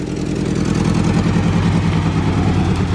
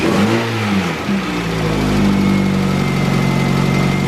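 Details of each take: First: Honda CRV petrol engine running unevenly with irregular low chuffing; throwing misfire codes on every cylinder. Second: Engine (LS-themed video) idling after adjustment. It was spitting and running badly earlier and now runs steady and even with no stumble. A very slight tick may come from one valve set a little too loose, possibly.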